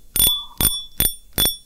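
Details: Fishing reel clicker after repair: broken click spring replaced with cut steel strip, previously silent. Sharp, bright metallic clicks about two per second, each ringing crisply; spool clicker sounds loud and healthy.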